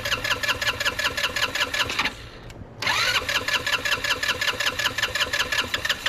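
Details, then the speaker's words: 2006 Touring Strata RX150 GY6 scooter that sat a long time, possibly flooded after the vacuum line was hooked to the fuel side: uneven starter cranking, a pause, then more cranking that catches and picks up. Hard start, finally firing. "oh it's going is it going to stay running is it going to stay come on come on baby keep going keep going"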